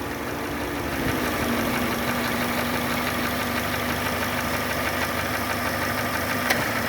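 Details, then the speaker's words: Chevrolet Sonic after an AC compressor leak repair (internal O-rings replaced, system flushed, new drier): at about 800 rpm idle the compressor runs smoothly with no clacking. Vent reads 3°C with 35°C outside. "คอมแอร์นะคะไม่ต้องแก๊กก๊อกแก๊กแล้วนะครับตัวcompareก็เดินเรามีแล้วนะคะพร้อมตัดค่ะ"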